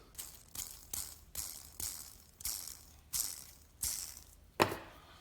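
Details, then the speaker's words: Old sealed bearing spun by hand before replacement with a new one. A dry, gritty rattle follows each spin and fades quickly. Worn bearing suspected, not confirmed. "let's hear what it sounds like the old one got this bearing listen to this"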